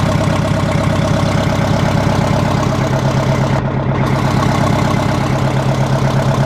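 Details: 1960 Kenworth W925 two-stroke diesel at steady idle with exhaust removed, running open-manifold: loud raw crackling bark, about 170 sharp pulses a minute.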